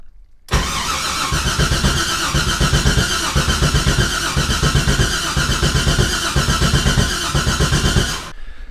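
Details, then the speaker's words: Mazda FD RX-7 with swapped 2002 LS6 V8, rebuilt with ported heads and Trick Flow cam, cranked with fuel pump relay pulled so it won't start; about eight seconds of brisk, even cranking, no firing. Normal cranking. "so what i'm going to do right now is pull the fuel pump relay out because i don't want the car to start"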